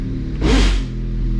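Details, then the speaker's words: Honda Civic Type R FK8 manual transmission, engine idling: won't go into first; third to sixth and second engage, second grinding most, a harsh rasp swelling and fading as the gear is forced. Had been grinding and popping out of gear 1st-to-2nd; transmission to be rebuilt. "I'm trying to go into first and it will not let me and can go into third fourth fifth sixth and second but second's the one who grinds the most"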